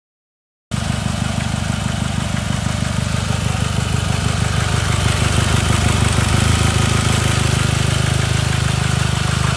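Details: Chevrolet Cobalt idling with an uneven stumbling pulse that drops a beat now and then: intermittent single-cylinder misfire caused by damaged injector connectors making poor contact, not the injector or ignition.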